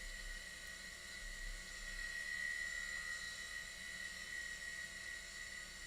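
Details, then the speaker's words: Hard drive of a Macintosh SE with an Applied Engineering TW1340 board running at boot to the Happy Mac; steady high whine with a gritty hiss, likened to grinding corn, normal for these old drives. "Why is it that these hard drives always sound like they're grinding corn?"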